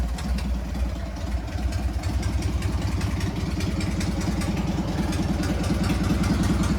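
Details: Harley Sportster 883-to-1200 conversion with new Wiseco pistons, rings and cylinders, first start and heat cycle, 79 degrees, 105 on the pipe, in neutral: even loping V-twin beat building gently with throttle, no clatter, misfire or smoke; normal running.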